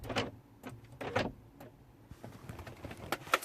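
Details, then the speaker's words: 2010 BMW 7 Series (F01/F02), passenger door pressed to lock or unlock by remote or the interior button. Short, faint whirring and clicking bursts inside the door, but the pin never moves and the door won't lock. Faulty lock actuator. "when I press either with the key when I press the lock or unlock there is a noise coming from inside the door but obviously the the pin doesn't go up or down and the door does not lock"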